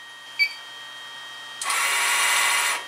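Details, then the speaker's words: Fujipla ALM series auto-laminator cutter unit, drive tension loosened via 3 mm hex screw: sharp click then about a second of harsh rasping hiss as the cutter drive wire slips on the motor pulley, causing cutter error beeping. "let's go a little bit looser let's go another revolution let's listen again alright now we hear the wires slipping on the motor pulley"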